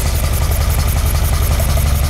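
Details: 1978 Ferrari 308GTB V8 with carburetors, after engine sorting, before final carb balancing: smooth deep even idle burble with no misses, all eight cylinders firing, no longer staccato; normal idle.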